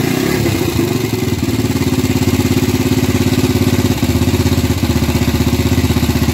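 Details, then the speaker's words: Gilera 150 Super Sport single-cylinder fitted with an adapted Honda AX 100 carburetor, first start after basic setup with the points plate set almost fully retarded; lumpy, uneven, lazy idle with dull thump and stumbling beat, ignition timing sounds retarded. "bueno por ser el primer arranque con una puesta a punto básica se siente que está atrasada pero puse la plaqueta casi totalmente atrasada"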